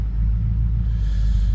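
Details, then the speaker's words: BMW 645Ci being refreshed for age and wear: a deep low rumble with the idle swelling and sagging unevenly rather than holding steady. The engine is hunting at idle, which is not right; the cause is unknown. "you can hear it hunting I'm doing as well so it's obviously not right shouldn't be doing that"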